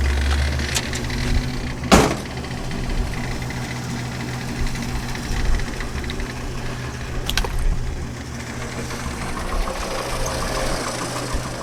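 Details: 1963½ Ford Falcon Futura V8, not on the road for 18 years, fresh oil, Seafoam in the fuel: low, uneven loping idle with a few sharp bangs, settling a little, noticeable blow-by; rough running, cause suspected, not confirmed.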